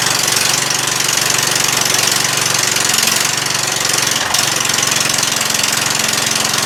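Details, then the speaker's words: Murray 14.5 42-inch lawn tractor just restarted after a cleaned gas tank, new battery and reconnected fuel line: steady, even engine beat with one brief dip, no knock or misfire, no smoke; normal running. "how about that huh runs good no smoke no smoke yet"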